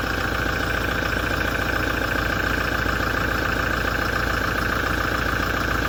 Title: 2017 Toyota Diesel engine noise issue after major service knocking & metallic vibration grinding